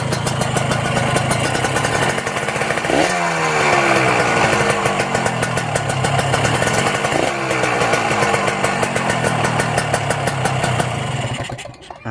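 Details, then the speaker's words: Kawasaki Ninja two-stroke motorcycle checked cold before purchase: dry metallic rattle when the throttle is blipped; a worn connecting rod or its bearing, or the crankshaft, is suspected. "kedengar enggak ada suara ngeleker suara ngeleker itu saat digeber sedikit itu biasanya dari bearing kalau gak dari kruk asnya"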